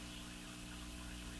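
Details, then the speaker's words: Crosley Model F-5 tube radio after capacitor and tube replacement: steady low buzz with even overtones throughout the set; owner suspects insufficient power supply filtering causing mains hum, not confirmed. "Well, okay. So let's go on the basis that yeah it's a power supply hum. The insufficient filtering in the power supply is resulting in a hum just cast through the whole radio."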